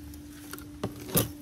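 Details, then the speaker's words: 2004–09 2nd-gen Prius inverter coolant pump, brand-new Aisin replacement, run alone by pressing power button twice without brake, reservoir cap off: quiet steady whirring motor hum with light clicks; normal. "So, this noise is what a brand new as pump sounds like. It's just a worring sound. It's a motor."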